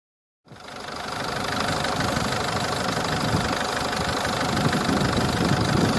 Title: Ford Fiesta 1.4 TDCI engine rattle noise - pulley defect